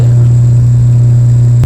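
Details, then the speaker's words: 1965 Silvertone tape recorder model 4236 after restoration, scope on the speaker voice coil, at turn-on before adjusting the hum control pots: loud, steady low hum at constant pitch burying everything else; mains hum in the amplifier output. "so I'm going to turn the recorder on and the first thing you're going to hear is the motor the hum signal coming up that's hum you're seeing right"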